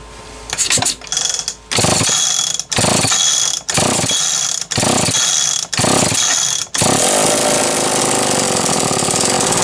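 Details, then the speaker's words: Homelite XL-123 two-stroke chainsaw: ragged revs cutting out and catching, rough running with popping, banging and smoke; owner suspects ignition points issue, moisture or debris in points box. "may not be able to hear how it's popping and banging and you can see all the smoke"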